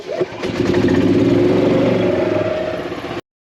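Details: 2016 Yamaha petrol golf cart after battery replacement (new battery holds above 11.5 V while cranking): engine catches quickly, steady mid-pitched run with even firing, then switches off; starting normally.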